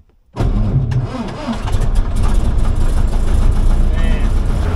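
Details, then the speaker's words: 1949 Piper PA-16 Clipper engine, sitting at least a few months, run off header tank with both mags on: catches within a few turns and settles into a strong, steady low roar; normal start. "It's I think for, I'd say, I don't know, it's been at least a few months here, and pretty much fired up. Just a few turns there."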